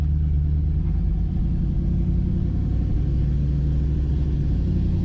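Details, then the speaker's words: Chevrolet Camaro Z28 V8 being tuned, engine still fairly cold and smelling slightly rich, idling in gear: deep, even burble with no stumble or dips, idle holding steady. "Well, at least we're not running 30 at idle. That's a good thing. Sounds good."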